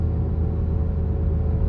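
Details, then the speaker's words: VW-group car, clutch pedal held down: deep rumble with steady whirring hum from a disintegrating clutch release bearing that shed plastic particles into the bellhousing. "Und das ganze Lager, das macht auch ordentliche Geräusche. Also das hat sich mehr oder weniger schon zersetzt."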